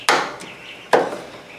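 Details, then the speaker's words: Cub Cadet ZT2 zero-turn mower that won't start: a jumper from battery positive to the solenoid activation tab gives two sharp solenoid clicks, but the starter does not turn at all. The owner wonders if the starter is locked up. "I do hear the solenoid clicking, but the starter doesn't turn at all. I don't know if the starter is locked up."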